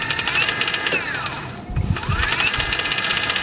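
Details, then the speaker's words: E-bike motor after gearbox reassembly and adding gear oil: steady motor and gear whine easing briefly and rising again, smooth without knocks; previously noisy from a loose, rattling gearbox. "dapat pala mga kaibike is lagyan na natin ng gear oil yan para ganito ka smooth yung takbo niya mga kaibik kaya goods na 'to"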